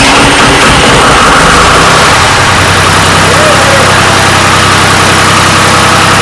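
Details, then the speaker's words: Restored 1993 Lombardini diesel generator started on an old weak battery; steady even diesel clatter at idle with no misses, knocks or hunting, oil pressure light out instantly showing good pressure; normal idle. "as soon as chris started it up that's the oil pressure it went out instantly so we've got great oil pressure"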